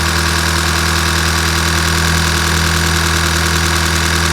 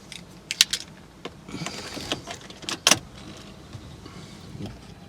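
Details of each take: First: 2012 VW Golf GTI Mk6 2.0 TSI, first start after full engine rebuild with new chains, open exhaust cutout, no coolant yet: loud idle with a slightly uneven, lumpy beat of about three pulses a second; rough idle. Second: 2012 Golf GTI 2.0 TSI, freshly rebuilt engine assembled with assembly lube, oil system dry, first crank before starting: starter turns the engine evenly for about eight seconds with no knocks or rattles; normal, healthy cranking.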